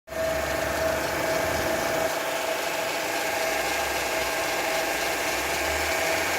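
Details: Opel Astra J at idle: steady mid-pitched hum holding over the engine without changing; noisy power steering pump.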